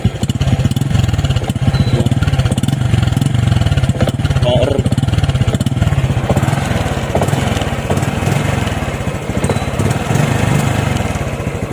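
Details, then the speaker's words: Misfire on an RS 125 FI motorcycle: uneven, stumbling pops as the throttle opens and revs won't rise; throttle body, spark plug and fuel filter already renewed, suspected faulty spark plug cap giving weak spark. "susp kani ang problema spark plug cap soong tanaw na akong tanggalon"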